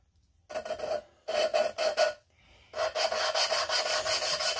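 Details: GM 5.3 LS cylinder head fresh from the machine shop, valves being hand-lapped with grinding compound: rhythmic, smooth back-and-forth rasping strokes in short bursts, ground until the sound turns soft, showing the valve is seating well.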